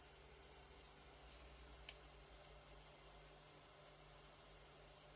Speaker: Duyduğunuz gibi, herhangi bir ses, yok. İşlem başarılı.